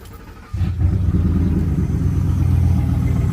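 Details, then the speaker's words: Ford F-150 at idle right after both-bank valve cover gasket replacement, no smoke or engine light: engine settles into idle with a low, fast rhythmic knocking about four a second, source not yet found; abnormal engine noise. "What the hell is that? That doesn't sound good. Is it this? Why is it making that sound?"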